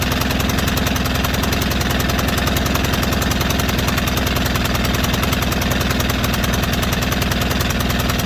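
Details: White Outdoor LT542G riding mower twin in a cold shop, running rough, drinking gas and putting fuel in the oil: a hard, chopping beat of about three pulses a second that stumbles unevenly. The carburetor main jet was found missing.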